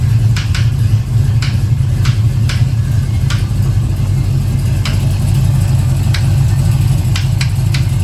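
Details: 1970 Chevelle just after big-block swap, new oil filter fitted: sharp, light ticking knocks at irregular gaps over a steady V8 idle, seeming to come from one valve cover; owner says not a rod knock, suspects rocker interference, unconfirmed.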